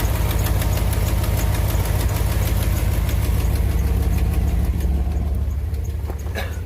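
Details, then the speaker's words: 2001 Dodge Ram 1500 4x4 at idle: sharp, regular ticking about three per second, leaking right off the back of the exhaust manifold, owner fairly sure; exhaust manifold leak, fixed later. "You can hear where it's leaking at. Right off the back of that manifold. I'm pretty sure that's where it's leaking at."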